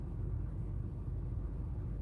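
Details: 2017 Honda Fit 1.3 at idle after a chemical engine cleaning: misfires dropped from about 10 per cylinder to a single one in cylinder 2. Low, even rumble with no audible stumbles; the engine runs smoothly.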